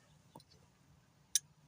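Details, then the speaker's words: 2009 Hemi injectors reinstalled, active test via scan tool on injector one: two crisp sharp ticks about a second apart; injector clicking normally after two were previously reported dead. "There she's clicking. You hear it clicking."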